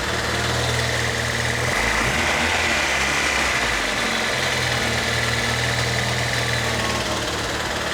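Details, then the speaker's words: Non-VTEC Honda D16 after a run at 28 psi of boost, making a noise right after a big pull: a light, fast tappet-like ticking at about four per second over a rough idle. A bottom-end spun-bearing knock that rises with rpm is suspected. "It is kind of a tappet sound. It's almost like it needs a valve latch adjustment, but of course that's not the case because it happened right after a big pull."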